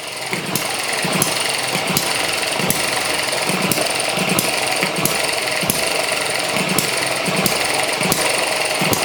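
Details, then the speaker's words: ET6 model hit and miss engine from Banggood, running on fuel with two-stroke oil mixed in: evenly spaced firing bursts about every two-thirds of a second with coasting between; governor holds exhaust valve open, blocking compression, normal hit and miss running. "cd governor working there just blocking the uh looking the exhaust valve stopping the compression"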